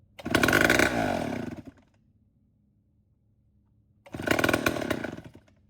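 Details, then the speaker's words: Late-1950s/early-1960s Homelite 7-19 chainsaw after carburetor cleaning, diaphragm still worn: two short screaming bursts that sag and cut out within about a second and a half, likely fuel-starved by the tired carb diaphragm. "It's not perfect. It needs a new diaphragm put in it, but maybe hopefully it'll do good enough to where we can crank it up and run it for a minute."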